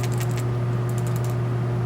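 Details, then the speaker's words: Toyota Tundra PCV valve just removed and shaken: light quick rattle as it should, over steady background hum; valve moves freely, not clogged. Replaced for heavy smoke and rough idle on very cold starts. "let's take it out there it is you can hear it like you're supposed to make that noise"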